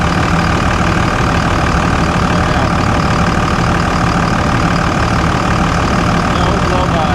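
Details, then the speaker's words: 2000 Dodge Ram 3500 5.9L 24V Cummins mechanical-injection diesel, new injectors, rebuilt transmission and transfer case, after shifting through gears: smooth, even clatter at steady idle, no misses or knocks; healthy. "Park. Ooh. Oh. Look at you guys. Ow. I thought you were unhappy. All right. It sounds good."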